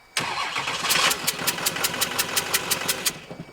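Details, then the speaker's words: 6.6 Duramax diesel (believed 2006 LBZ) for a Jeep Wrangler swap, body control module unplugged: catches with sharp clattering, runs about three seconds, winds down and dies; VATS anti-theft cutting it, may need ECM programmed to remove VATS. "See, that's it turning it off. It's not necessarily an issue yet. I mean, worst come worst, I have to get the ECM programmed to get the VATS out."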